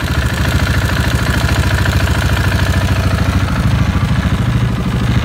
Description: KTM 690 ENDURO Rのエンジンから異音がしたので修理してもらった後の動画。